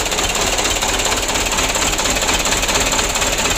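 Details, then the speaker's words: 2008 Mitsubishi Canter 125 diesel, cab raised, tested before service for idle shake, long starting and low power. Loud, harsh clatter pulsing about twice a second at idle; not severe rough running, cause unconfirmed. "seperti ini mesinnya Nur plafonnya goyang Ya cuman goyangnya enggak gitu parah lu ya juga seperti kantor yang lalu"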